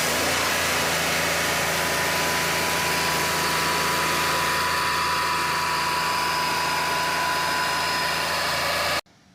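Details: Mahindra KUV100 three-cylinder with a P0300 misfire from an injector fault, after the injector assembly (three injectors with rail) was replaced and the code cleared: a steady, even idle with no misses or stumbles, then shutoff; a healthy, normal idle.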